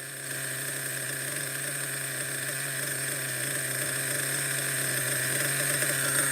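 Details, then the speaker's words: Schumacher XTR-3E nitro stadium truck on first fire-up, engine still cold: high buzzy little nitro in a steady, even idle with constant whine, no hunting; proper runner, idle a little average; later died, judged too rich. "now this is a proper Runner idle is a little average I would say"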